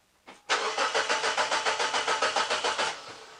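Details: Mazda 626 petrol engine with wasted-spark ignition, intermittent no-start: starter churns steadily at three to four beats a second for over two seconds with no catch or firing; cranks but won't start, spark confirmed present.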